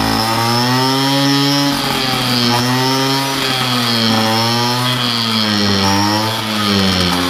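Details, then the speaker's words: Two-stroke moped with Polini reed block and reused parts, air leaks at head and base gaskets (wrong base gasket used): raspy idle with pitch wandering up and down instead of holding steady. "I've already started this bike, but I'm going to start it again for you guys. It's got some air leaks."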